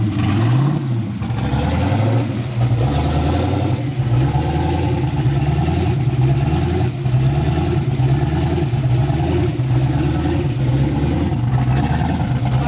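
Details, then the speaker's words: Engine running after a metallic clunk noise; low, uneven lumpy rumble at idle with only about 9 psi oil pressure; something inside appears to have let go. Abnormal running with low oil pressure. "so what happened i don't know it made like a metallic like clunk noise"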